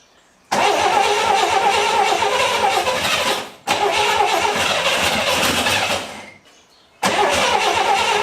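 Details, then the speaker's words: Barn-find 1966 Corvair, first start in 17 years with fuel poured down the carbs: repeated starts catch and run fast and rough, each cutting out after a few seconds. Idle too high; chokes suspected to be on. "well she's a runner idle's really high well what do you say we rig up a fuel system see if we can get the idol preferably a little lower"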